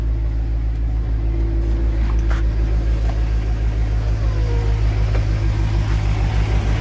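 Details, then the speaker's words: 2002 Chevrolet Avalanche 5.3 LS V8, about 253,000 actual miles (odometer 233k), cold start with solid oil pressure: even, deep idle with no knocking or ticking yet. Bottom end quiet for now; a noise is suspected after a 700-mile tow. "All right, so she's not making any noise right now."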